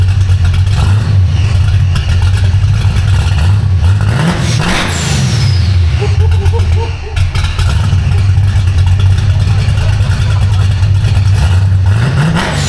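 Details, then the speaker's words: V8 car with a B451 cam and fresh Spintech mufflers with turndowns after driveshaft damage; still warming up. Deep, lumpy idle with a raspy exhaust and several clean throttle blips. Normal idle and revving. "so this is the b451 cam that damn sounds a lot like the 65"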